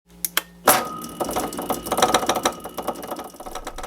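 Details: Mini lathe motor running: a few lone clicks, then a busy irregular clatter as the motor rattles loose on a stripped mounting stud of its cheap motor mount.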